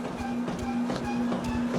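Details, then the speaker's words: WalkingPad X25 treadmill at about 7 mph running pace, after six months and 500+ miles: footfalls with a short repeating squeak from the belt not lubed in a while; lubricating should stop it. "And you hear that little squeaking sound, that's because I haven't lubed it in a while. So, if you lube that, the squeaking will go [Music] away."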